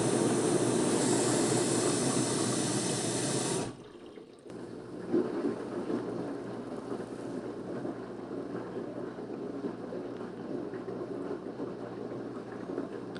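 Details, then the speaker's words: Washer, customer complaint of no water entering: water valve fills with a steady rush, the pressure switch is satisfied, then the valve shuts off cleanly and goes quiet. Fill and valve shut-off work normally. "water's entering into washing machine pressure switch has been satisfied water revolve is turn on again due to pressure switch"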